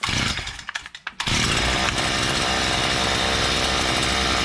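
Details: Stihl brush cutter two-stroke that wouldn't start and vibrated heavily, started with choke then choke off: brief sputters, then catches and holds a steady high buzz without missing; normal running.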